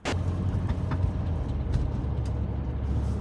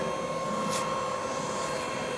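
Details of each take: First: BMW X5 under way: deep steady drivetrain rumble with loose knocks; the propshaft centre bearing has failed and is barely hanging on, needing the prop removed and bearing replaced. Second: BMW X5 driving again after a cracked transfer-box part was replaced: steady cabin road hum with a faint even tone, no clunks, knocks or vibration through the drive; driveline sounds healthy.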